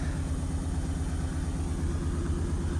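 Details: 2008 Honda Ridgeline at 299,733 miles, started after sitting for years, fuel just above empty: low idle rumble with a pulsing, slightly lumpy beat; burnt valve in the rear cylinder head.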